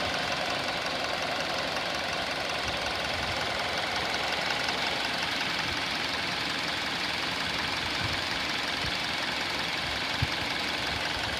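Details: 2019 Hyundai Elantra inline four-cylinder, 7,000 miles, just started and idling: steady light, fast ticking about three times a second over engine hum, diesel-like, expected to quiet down as it warms; top-end tick, cause unclear.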